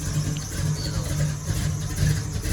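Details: Low, even idle with a steady pulse and no misses or knocks, just after a new Brawler 650 double-pumper carb and new spark plugs were fitted. The smoking had stopped, then some reappeared. The engine sounds settled; normal idle.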